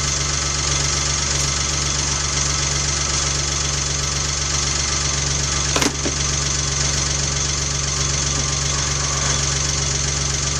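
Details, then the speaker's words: 1993 Geo Metro with a freshly restored drivetrain, first start with the timing not yet set: fast, light ticking clatter from the top of the engine at idle that quiets as the hydraulic lifters pump up with oil. "I hear lots of people they fire a car up and they hear make all kinds of noise when it's brand new. You can hear it getting quiet right now."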